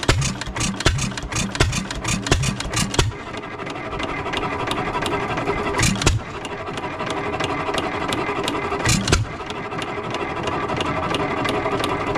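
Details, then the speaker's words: 3 hp Economy Model 3G hit-and-miss engine, possibly 1923, auction-bought, first run after priming: quick run of firing pops, then single sharp bangs about every three seconds as it coasts, even rhythm, smoking a little, no rod knock; normal running. "so she's running she's smoking a little bit I don't hear the connecting rod doesn't not sure if connecting rod is bling or not but want to try something"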